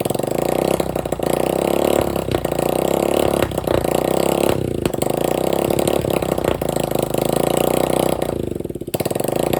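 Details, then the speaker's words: Free dirt bike running with no exhaust pipe and no carburetor filter, with about a six-inch flame shooting out: a loud, raw, crackling bark with uneven popping as revs rise and fall. Engine running without exhaust. "definitely got to put the exhaust on there filter for the carburetor unless he runs there you go see the six inch flame that shoots out of the front of it gotta get that exhaust put on there"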